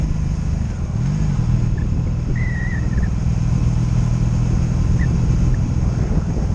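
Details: 2002 Honda Magna VF750C V4, warmed up, on its first non-stop test ride after it previously died in gear: steady low drone with even firing, no ignition cuts, stumbles or bucking across the run; smooth running.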